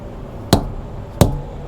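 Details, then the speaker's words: Tire thump test on a GP Transco OTR truck during a cold pre-trip inspection, after checking the lug nuts: two solid, deep, dull thumps about 0.7 s apart with no rattle or buzz. The tires are nice and full. "I'm running out of battery on the camera, but I'm going to give my tires a good thump."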